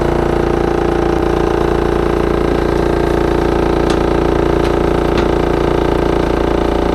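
A loud, steady, engine-like drone with a fast rattling pulse from a fridge's unbalanced condenser fan blade.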